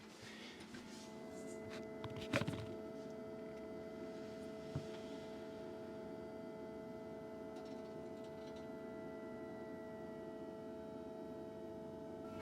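Only a soft steady fan hum with a few faint tones, no ticking or clicking at all; the heater pump runs silently.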